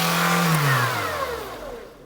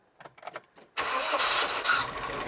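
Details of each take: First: Barn-find 1990s Nissan Primera GT, SR20 engine, just after its first start from storage: revs hang high and only slowly wind down instead of dropping to idle; throttle sticking, suspected to be the throttle cable, to be sprayed with lubricant. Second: Barn-find one-owner 1990s Nissan Primera GT, SR20 engine, first start after storage, fuel pump condition unknown: short quiet clatter, then it catches instantly and settles into a steady, even run; a clean, healthy first start.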